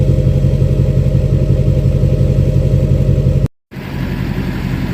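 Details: 2006 Chevy Silverado LBZ Duramax diesel, revved in neutral with new 5-inch straight pipe, flow-through muffler and DSP5 tune; loud deep drone held steady with even low exhaust pulse, then a short cut and settle; normal revving.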